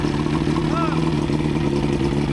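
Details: Outboard after new head gaskets (prior overheat, head leaks), on water hookup: steady, even, unchanging beat under chatter; running normally, owner notes leaks to seal up.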